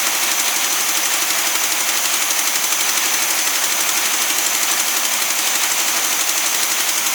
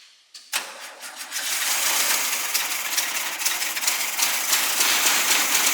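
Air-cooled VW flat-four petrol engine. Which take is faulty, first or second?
second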